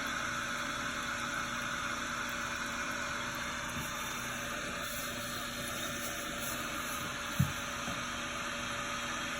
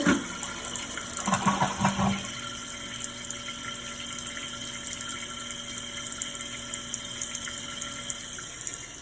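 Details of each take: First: Toilet fill valve, water turned back on after a flush: a steady, reedy whine and wheeze over rushing water hiss as the tank refills, a noise said to get worse; the valve is then replaced. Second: Toilet after its noisy fill valve was replaced: a soft, steady rush of water refilling the tank with no whine, squeal or after-noise.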